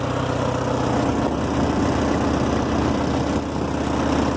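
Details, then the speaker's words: 1964 Farmall Cub, just returned to running after sitting, with a new carburetor: a steady low putter at an even idle with no knocks or misses, a healthy idle. "yeah sounds really good new carburetor"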